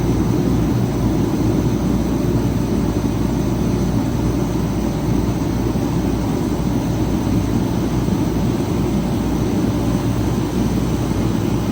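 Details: Remington 135 (REMT-135T-KFA-O) kerosene forced-air heater after repair, pump pressure set to 5 PSI, final test run: steady even roar from the burner with a smooth fan rush and no sputter or surging; running cleanly.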